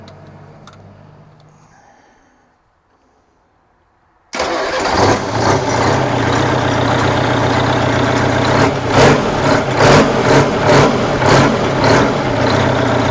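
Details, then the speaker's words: Abandoned 1984 Freightliner cabover with a Detroit Diesel being revived, with return fuel routed into a jug: the starter catches, and the engine fires up and settles into a steady, even run with a few clean revs, so it is running normally. "but man this thing sure runs good doesn't it"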